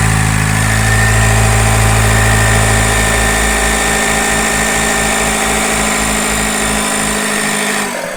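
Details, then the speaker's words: Ford Focus 2 1.8 turbodiesel with engine mount and cover removed, new roller fitted: steady high whistle over the diesel's drone on revving, unchanged, not from accessory belt or clutch; suspected turbocharger impeller rubbing housing at rear of engine, unconfirmed. "Ну пока ничего кинули новый ролик вон видно Ну ничего не поменялось так же всё свистит Ну звук идёт откуда-то вон с задней части двигателя а там у нас что турбина только находится что-то там чиркает корпус наверное крыльчатка какая-то или ещё что-то"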